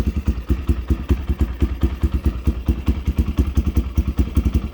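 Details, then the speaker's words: 1987 Honda XL250R RFVC single, barn find that sat for years, on fresh gas, just after a first-kick cold start, Supertrapp exhaust: even thumping idle about six beats a second, steady without misses or knocks; healthy. "started right off holy that's unbelievable wow i can't believe it started up first kick almost yeah first kick that's unbelievable"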